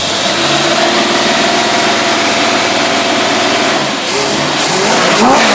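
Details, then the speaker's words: Edelbrock Thunder series 1813 carburetor tested on a running engine: engine revs hard and smooth, then deepens to a fuller roar around four seconds as the secondary barrels open cleanly, no stumble. "You heard all that? That's them back barrels kicking in. That thing, that's got enough suction here to suck in the crows flying overhead."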